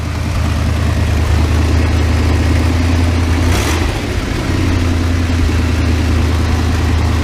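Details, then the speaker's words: Rusty 1988 Dodge B350 fleet van, a drivetrain donor, running indoors: a loud, even low drone with a brief throttle blip and no tapping or misfire; the engine runs normally. "so runs good sounds good just rusty be 350 you can hear it just sounds great"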